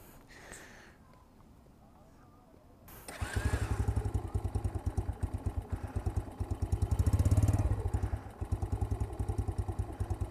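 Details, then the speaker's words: X-PRO 125cc single-cylinder motorcycle, new, after bogging and adjusting the carburetor screw: quiet at first, then an even low thump around three and a half beats a second; runs cleanly after adjustment, though it vibrates a lot. "running better now that I changed the screw a little bit more now let's try it again seems like it's a little happier now"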